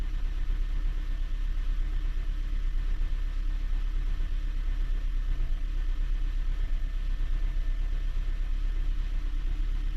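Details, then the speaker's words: 2015 Honda Jade hybrid at idle: low uneven clatter about three times a second from the damper disc, likely broken; it may also cause the intermittent misfire readings. "но демфер гремит ё-моё вообще жёстко брякает как не знаю"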